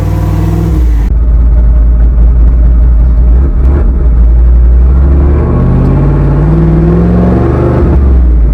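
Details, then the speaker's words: Freshly rebuilt boosted V8 black truck, street shakedown pull at only about five pounds of boost. Deep V8 pulls hard and clean through the revs with no misfire or knock. "it's a lot more motor it is that's only five pounds let's pull right there boy"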